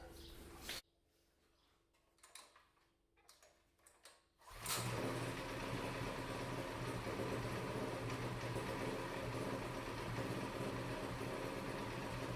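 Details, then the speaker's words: Predator 212cc single-cylinder that wouldn't start after being stored with fuel in it, now with carburetor reassembled, fuel on and choke partly on: it catches and runs steadily with no misses or surging; normal running. "well there we have it just like that she's ready to go again"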